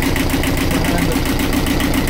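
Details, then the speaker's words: Universal 5411 diesel running after a decompression-lever start: steady, evenly spaced hammering exhaust beat at constant idle with no misses or knocks; normal running. "Oh, yeah, yeah. It's just, it's a hammering type. Sounds good, though."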